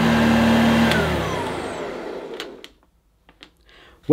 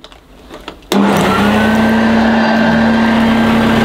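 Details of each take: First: 1982 Hoover Junior Dirtsearcher U1108 upright vacuum: even, steady motor whine with no rattle or scrape, then smooth wind-down after switch-off; motor sounds healthy, no strip-down needed. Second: 1982 Hoover Junior Dirtsearcher U1108 upright vacuum: strong steady motor whine sagging slightly under brushroll drag as the agitator stalls because it needs a new belt.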